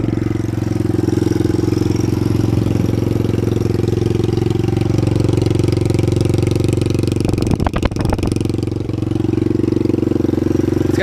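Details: 1983 Honda Big Red ATC200e, 200cc four-stroke single, at a raised idle before warm-up: a light, fast tick rides on the exhaust beat from an intake or exhaust valve needing clearance adjustment.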